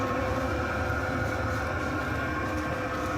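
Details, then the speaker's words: Chinese all-in-one diesel parking heater in shuttle bus RV conversion, recorded at exhaust pipe under bus at first test fire: soft steady rushing hum like a boat bilge vent, not loud, no misses or pops; burning clean with little smell, normal running. "So there's the exhaust pipe coming out from under the bus. That's the sound of it there. Not very loud at all. That wouldn't bother anybody. It sounds like if anybody's ever heard a bilge vent on a boat, kind of sounds like that."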